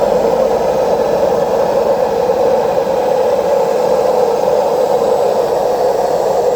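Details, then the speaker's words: Washing machine during spin: steady loud jet-turbine-like roar with no rhythm, typical of worn drum bearings; both bearings and the retorno need replacing. "Cuando ustedes se encuentren con este ruido, es el famoso turbina de avión, es porque tiene problema en los rodamientos. O sea, hay que cambiar los dos rodamientos y el retorno."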